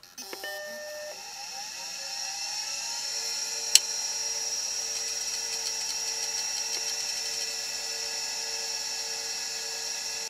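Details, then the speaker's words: Suspect hard drive from the machine marked "bad HD", on power only, not connected to motherboard: rising spin-up whine then steady high hum; it had spun up, seeked and immediately spun down, cause unknown. "so it's spun up it started seeking and then it just immediately spun down"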